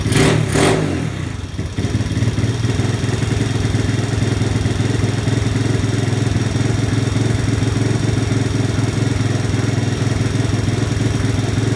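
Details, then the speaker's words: 1983 Honda ATC 70 trike after pilot/idle jet drilled and carb adjusted: two quick throttle blips lag and suck before picking up, then a steady lumpy idle; slight off-idle hesitation remains on fast blips. "so there's still a little bit of a delay there if I blip the throttle really fast you'll hear it sucking kind of sup"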